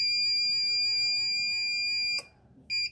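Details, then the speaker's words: Arduino ammonia detector for a chicken coop (MQ135 sensor, 16x2 LCD, fan) with ammonia liquid placed near it: a continuous high-pitched buzzer sounds while the fan spins, then cuts off with a tick as the fan stops. Alarm for ammonia above threshold. "Nah, kondisinya adalah jika pembacaan gas amonia sangat tinggi di sekitar alat, tentu saja sistem dapat bekerja dengan sangat baik."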